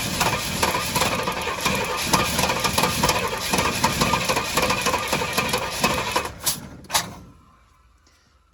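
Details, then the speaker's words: Pontiac GTO V8 on a lift, long-stored, newly hooked-up fuel line, spark seen to have stopped: steady rhythmic cranking about three turns a second that never fires before stopping; cranking no start, cause suspected, not confirmed. "once it runs it runs it's just hard to get it go"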